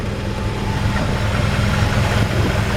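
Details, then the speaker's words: 1951 Ford F1 pickup fitted with an older Chevy engine with single-barrel intake, hood open: low, even idle with smooth steady beat, no knocks or ticks; quiet, runs perfect, normal idle. "you can hear how quiet that engine is. I mean, it just runs perfect."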